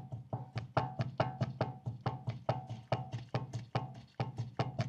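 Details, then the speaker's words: Front wheel bearing on a Land Rover Discovery 3, car raised on stands: rapid hollow clunks, two or three a second, as the wheel is rocked top to bottom, same play and noise at every hand position, confirming a worn wheel bearing rather than a steering tie-rod end. "这里很明显我这里不管手搭在哪个角度发出的噪音和它的松动程度都是一样的我就可以确定这个轮的车轮轴承是有问题的"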